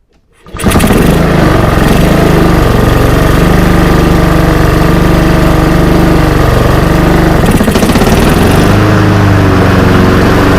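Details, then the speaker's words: Honda GCV190 mower that stalled and wouldn't restart, run after cleaning the clogged air filter and box, filter removed: fires within a second, steady even beat with no misses or surging; runs healthy. "all right looks like the blade control works and looks like she runs pretty good"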